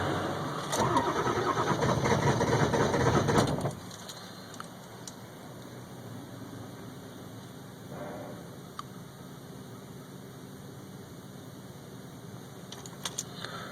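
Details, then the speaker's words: 2002 Ford F350 7.3L Powerstroke diesel, cold start at about 34°F after four minutes of attempts, glow plugs warmed two to three minutes without cycling: about three and a half seconds of even cranking, roughly three beats a second, stops without firing; cranks but no start. "so that's 4 minutes sitting out in the cold trying to get this thing going and it's like it's still 34° I could understand if it was below [Laughter] freezing again a no start"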